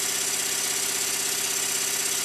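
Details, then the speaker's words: Completed Stuart Models S50 model steam engine runs fast and even, a steady rapid beat with no rattle or knock, despite slight play on the crosshead; valve timing and clearances could perhaps still be improved. "having said all that listen to it it doesn't rattle it's going extremely fast and nothing's dropped off it"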